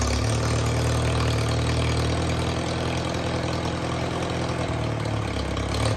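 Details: IH Farmall Super A, started on a little choke after fixing a missing part that left the carburetor with no suction: steady low thrum, three to four beats a second, no stumbling or surging; settles into an even, normal idle.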